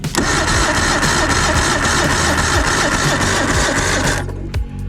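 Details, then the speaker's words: Circa 1989 Evinrude 150hp two-stroke outboard during compression test, readings about 80-93 psi: labored cranking about four beats a second with uneven chugs, no firing; should spin much faster, solenoid suspected, replacements ordered. "just not enough to really do this right it should be spinning a lot faster than that I me a lot faster"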